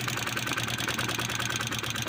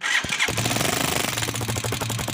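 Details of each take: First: Italika FT 150 single-cylinder motorcycle after repairing oil pump lubrication failure (loose centrifugal filter nut damaged the cover, cover replaced), oil now rising: quick light valvetrain ticking over a steady idle, no rattle or knock. Normal idle. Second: Italika FT150 single: the centrifugal oil filter nut came loose and broke the cover, and the oil pump is not lubricating, leaving the engine dry. After it fires, dry metallic ticking clatters about four times a second. Oil starvation.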